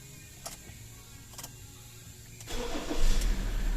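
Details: Mazda BT-50 3.2L diesel that cranked but wouldn't start from a failed cam angle sensor: quiet for a couple of seconds, then catches cleanly and settles into a steady run; normal start.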